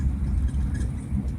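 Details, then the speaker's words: BMW E36, driving after new ignition coils and NGK plugs replaced Bosch; belt tensioner still unfixed: deep, steady drone with smooth, even pull, no stumbles or knocks, running best it has been; normal running. "got everything fixed on it except for a belt tensioner seems to be running pretty good um when i say running pretty good"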